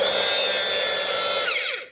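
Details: Hair dryer whirring with a harsh, raspy high-pitched edge then winding down; the loose fan blade is rubbing the housing, and the owner plans to glue it back in place.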